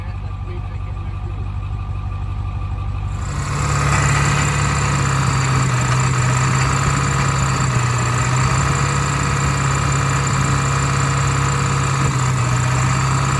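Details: Ford 7.3 diesel after IDM box work and new fuel line seals: catches and settles into a slightly uneven, lumpy idle about three pulses a second; misfire, owner suspects an injector not firing well.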